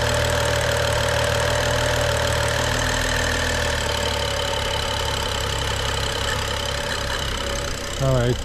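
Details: BMW N55 rebuilt engine at start during break-in, after fault codes were cleared and the chipped eccentric shaft was replaced: steady, even idle with smooth low hum, no knocking or ticking; healthy idle.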